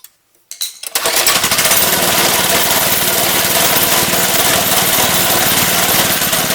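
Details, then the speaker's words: Lifan 2.5 hp single-cylinder go-kart engine with cleaned original carburetor, choke now off: catches into fast, slightly uneven buzz with wavering beat; rough running, owner suspects leftover old gas, carburetor leaking fuel. "still not running quite right but running better so we'll keep working on it might just need to be run a little bit"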